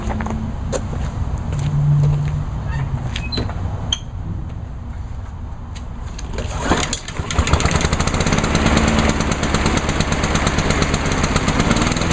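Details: Craftsman mower after fuel line replacement, fuel valve on, no leaks; after a few seconds of uneven sound it starts and settles into a fast, even putter at steady speed, running smoothly with no misses.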